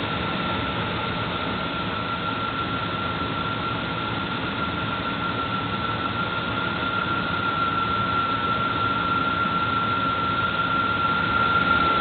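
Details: Engine running with a thin steady high whistle, rising slightly in pitch near the end, from the belt area; source unconfirmed.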